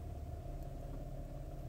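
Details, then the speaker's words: 2015 Infiniti Q70 3.7, 97,000 miles: quiet low droning, dieseling-like rumble at idle in drive, heard only from the driver's seat; goes away when revved or in neutral; owner suspects something loose against the body, cause unknown. "but again you can hear it in drive I'm going rev It Up goes away let it idle again"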